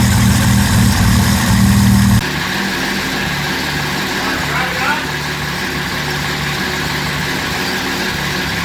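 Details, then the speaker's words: 2010 Camaro SS with turbo Vortec 4200 inline-six swap, just after its very first start, lit off right away, run briefly without coolant: loud at first, then smooth even idle with steady low beat, no misfire. "I was kind of amazed at how well the car started being that it was literally the first time we ever uh tried to fire the vehicle it literally lit off right away"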